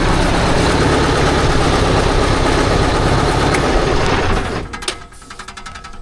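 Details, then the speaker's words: 1972 Diamond REO C116 truck with 8V71 diesel, sitting about 20 years: rough running at a steady beat, then it cuts out with a spraying hiss; a power steering hose is suspected to have blown. "What is that noise? We leaking fuel again. I hear something spraying. Oh, yep. Yep. We're leaking something there."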